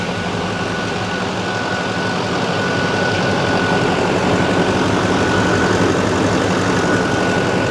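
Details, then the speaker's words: 2006 Chevy Silverado 2500HD LBZ Duramax diesel, after new fan clutch, AC compressor clutch/pulley and fan idler pulley: deep steady diesel idle, even rhythm, no belt squeal. "Beautiful. There's no belt squeak at all. Nothing."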